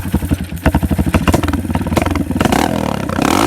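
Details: After carburetor repair, the bike gives uneven, lumpy pulses that stumble and slow when throttle opens, then pick up raggedly; it bogs when given gas. The owner suspects something in the air box; it has an air filter.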